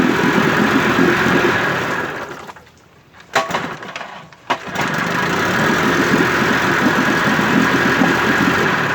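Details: 1958 Evinrude 18HP Fastwin two-stroke outboard with replacement powerhead, new head gasket, rings, crankpin needle bearings and NGK B6S plugs, cover on. Even, steady burble with brief dip and a couple of knocks midway; otherwise smooth: normal idle.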